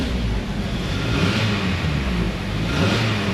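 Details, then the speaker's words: After clearing misfire codes with the key on and engine off, the engine is restarted. It holds an even drone and revs cleanly with no check engine light, no misfires and power restored. The mechanic suspects rod or main bearing knock tripped the knock sensors into limp mode. "no check engine light no blinking runs pretty good no Mis"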